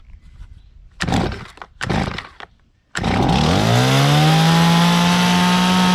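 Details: Stihl chainsaw on 50:1 gas-oil mix, cold start using the choke (trigger squeezed, pulled until it fires once, choke clicked up); a couple of rope pulls, then it catches, the buzz climbs and settles into a steady, even run. Normal cold start.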